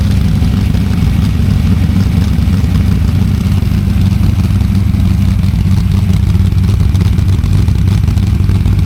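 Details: Freshly built small-block Ford V8 on a DIY engine run stand for break-in, before a planned fuel injection swap: deep, steady rumble at an even idle with no ticking, knocking or misfire; normal healthy running.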